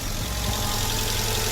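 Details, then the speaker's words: Car ('200') that had no crank and no start despite a brand-new battery, now started after work on suspected bad battery connections: a steady, even idle with a smooth low rumble and no knocks or misses. Normal idle. "see if we start there we go we're now started and running"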